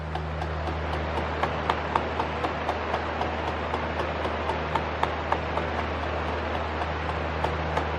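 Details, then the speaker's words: Pedestal fan oscillation not working properly: steady motor hum with irregular sharp clicks a few per second; plastic oscillation gears suspected skipping teeth, so oscillation movement fails. "من فکر می کنم باید این چرخ دنده ها باشد آنها علیه یکدیگر اسکیت می کنند زیرا آنها پلاستیکی هستند"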